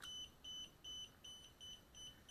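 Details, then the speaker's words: DJI Spark remote controller beeps nonstop, short high beeps about 2.5 per second, starting about 15 seconds after power-on. It partly acquires the signal while the LED alternates red and green, and calibration is impossible. Not a connection or calibration issue. "it kind of acquires a signal but it's still beeping so with a green light flashing something is wrong with the controller already"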